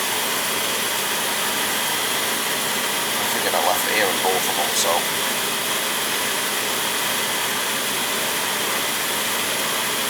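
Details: Oil boiler burner that was tripping on safety, after bleeding the pump, new filters at tank and burner, new Firomatic valve and new nozzle: steady even roar, no pulsing or sputter. Normal burner firing.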